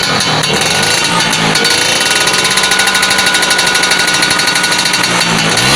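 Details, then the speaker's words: Vespa PX two-stroke after contact-breaker (points) repair: revs rise crisply and fall back cleanly, even crackle, no misfire; sounds good and idle can now run very low and steady. "Ini sudah enak suaranya dan putaran stasionernya sudah enak banget ini. Jadi bisa kecil banget, tang tang tang tang gitu."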